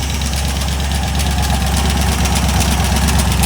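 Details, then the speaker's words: Cheap GM LS 4.8 LR4 on a run stand, slow to start: rapid sharp knocking over a rough idle that worsens with revving; owner first thought a lifter but suspects a failing piston, internal knock unconfirmed. "yeah so there's definitely something moving around in there probably a lifter coming"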